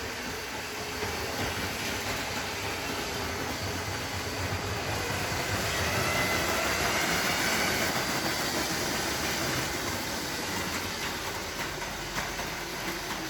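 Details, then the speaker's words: Lego Metro Liner train powered by two 9-volt motors on a track layout: steady motor whir with even track clatter about four times a second, no stalling or grinding; runs well. "It runs quite well. It certainly runs pretty good with the two engines on it."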